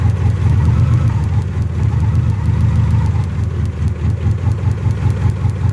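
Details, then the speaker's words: Car with new coil, electronic module, cap and rotor, no check engine light: uneven lumpy idle with stumbling beat, steering wheel shaking, exhaust leak; plug wires arcing, running on only two cylinders. "because this engine is only running on two cylinders you know plug wires are bad"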